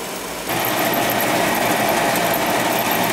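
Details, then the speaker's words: Basement boiler causing fumes, with the damper shut, no baffles and the power vent running wide open. A steady high whir from the venter fan sits over the burner roar. There is almost no draft over the fire because the firebox is rotted, so the boiler needs replacing. "I'm not really getting any draft. Just not good. I got everything shut off. I got the damper shut off. There's no baffles in the thing at all. Not really even getting any draft over the fire, which is not good."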